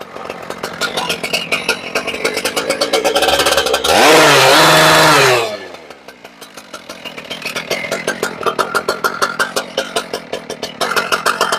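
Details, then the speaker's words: Husqvarna K970 two-stroke concrete saw, previously non-running, after servicing (fuel filter, primer bulb pumped, started on choke): crisp even idle, clean rev to a high wail, back to steady idle; fires right up, runs right. "So she fires right up, which is awesome. Means there are no other issues with that."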